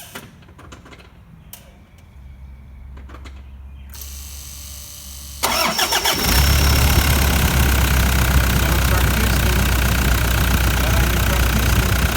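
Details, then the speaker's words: 2011 Toyota Land Cruiser Prado LC150 diesel, 300,000+ km, the day after DIY injector replacement (original injectors): cranks, catches into a loud low idle with steady chuff, running rough and smoky at the tailpipe; cracked piston suspected, not confirmed. "Definitely smoky at the tailpipe here. Smell it on a cracked piston."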